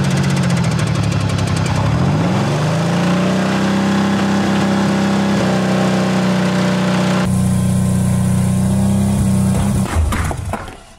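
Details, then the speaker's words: Pontiac engine after a nitrous hit: loud, steady low drone with a rough edge, then it stumbles and dies; the head gasket blew, with smoke, smell and oil in the intake. "oh i know what it is the head casket flew that's why it looks like that and it smells like it oh there's oil in the intake now oh yeah it's done"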